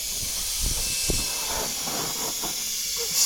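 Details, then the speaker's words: Truck air system at about 120 psi governor cutout: constant sharp hiss at one spot under the cab; compressed air leaking from cab leveling valve, whose arm later broke off. "okay yep I hear it right here okay so that is actually the cab leveling"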